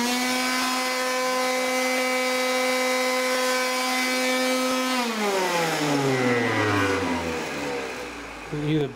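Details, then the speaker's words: Kirby vacuum cleaner failing mid-use: loud steady buzzing motor drone dropping in pitch as it coasts down; owner suspects bad bearings or brushes. Abnormal motor noise. "the bearings are fucked up or the brushes are screwed up. It just happened just now, right when I was in the middle of vacuuming things up."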